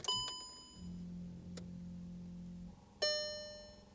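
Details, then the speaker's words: Seat Ibiza after AFS headlight fault 02629 repair and coding with Autel MK908P: ignition on, chimes ring, then a soft low motor whir for about two seconds as the headlight actuators sweep; operating normally. "So let me put the ignition on. You should be able to hear the headlights obviously moving."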